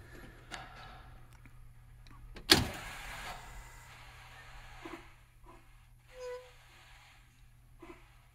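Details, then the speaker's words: 2005-2007 DT466e school bus diesel being checked for a no-crank, no-start, key cycled on: one loud solenoid click from the electrical panel over a low hum, then injector buzzing and ABS ticks, a normal key-on sequence. "you'll hear the loud click from the electrical panel which is solenoid you'll hear the injectors buzzing and then you'll hear the abs you know noises"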